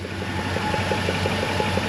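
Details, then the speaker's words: Chrysler Newport revived after about 22 years sitting, idling on a newly installed in-tank fuel pump: a light, regular ticking or suction noise about six times a second over a smooth idle, which the owner believes is common with new pumps. "Quick question. I don't know if you can hear that over camera, but the fuel pump makes this weird noise."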